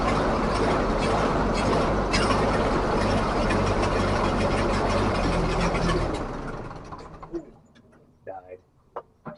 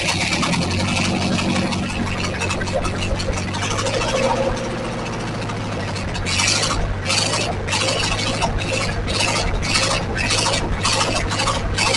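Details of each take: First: 1944 Ford 2N tractor after rebuild, carburetor not feeding right; starter turns slowly, about four beats a second for six seconds, never catches; owner suspects a starter switch burned from repeated starting. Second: 1944 Ford 2N tractor running with coolant after water passages were flushed, engine now cool to the touch; steady low chug with a regular pulse over outdoor noise, even running; normal.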